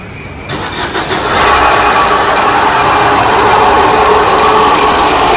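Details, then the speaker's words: Maruti Dzire: engine starts and settles into a rough, gravelly whirring over the idle from the AC compressor clutch pulley bearing; replacing the front clutch set, rather than the compressor, fixes it. "ఇప్పుడు ఈ sound అనేది bearing sound. So మనం ఇది నార్మల్గా అయితే మీరు ఈ sound వస్తే చాలామంది కంప్రెసర్ వగేరా మార్చేస్తారు. మనం ఏంటంటే ముందర క్లచ్ సెట్ అనేది మార్చేస్తే మీకు ఈ ప్రాబ్లం సాల్వ్ అవుతుంది."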